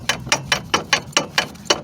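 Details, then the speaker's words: 2006 Toyota Corolla, front wheels lifted, in gear. Sharp, bright clicks about four a second with wheel rotation, from a worn CV axle joint. The car moved easily even in park. "and it seems like the axle is damaged I hope it's not that transmission"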